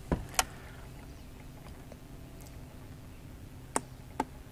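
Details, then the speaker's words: Honda Rancher TRX350 ES that won't start: single sharp clicks over a quiet background, with no cranking. The single click is attributed to the starter relay (solenoid), which is to be replaced; the starter motor is possibly at fault. "hear that click when you just do one click like that it's the solenoid relay for the starter so we'll shut it off"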